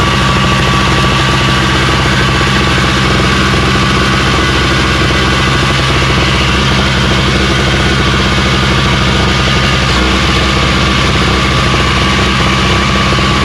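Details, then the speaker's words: Craftsman snowblower running after electric start (primed, full choke, carb spray; pull starts had failed): steady, even drone with constant pitch, no knocks or misses; nothing wrong with it. "so well there ain't no nothing wrong with this i just go ahead and put this up and sell it uh 100 bucks"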